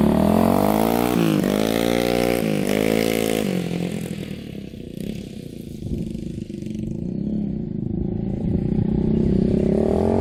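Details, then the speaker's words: Yamaha Warrior 350 single-cylinder quad on a test ride after fixes: clean, even revs with no pops, backfiring or misses, and it revs out fully. Normal running. "Alright, it's running perfectly. Super smooth. Good power. Hardly smoking now."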